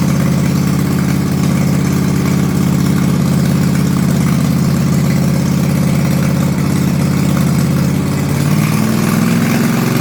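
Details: Toro Timecutter Z5020 ride-on mower with swapped-in eBay replacement engine, no muffler fitted: loud raw idle with hard rapid popping exhaust bark and deep low rumble; loud exhaust because no muffler.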